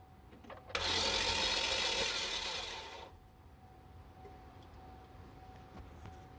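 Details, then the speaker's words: Chevy Equinox cranking: quick, perfectly even spin for two seconds with no compression pulses; loose timing chain leaves no compression, the engine turns too fast, and the inside is judged done. "Your compression. You had no compression, which I was saying that it was turning way too fast. Basically it had no compression. Something in the inside is pretty much done."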